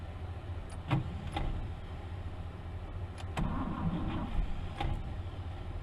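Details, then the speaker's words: 1964 Buick Riviera sat 23 years in a field: uneven cranking with brief catches that die as the worn starter's Bendix drive disengages whenever the engine fires; starter too far gone, must be removed. "the starter is just too too bad too too far gone as soon as the engine starts to fire the Bendix disconnects and just won't go"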